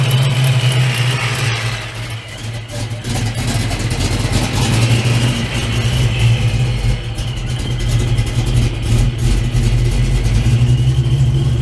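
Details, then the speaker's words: Procharged Foxbody Mustang with a big cam, idling after a new belt was fitted: choppy, loping idle at about three pulses a second with sharp ticking on top; big-cam lope plus an exhaust leak. "let me um let you guys hear it has a big cam in it and let me see if we can see that and it has an exhaust leak as well"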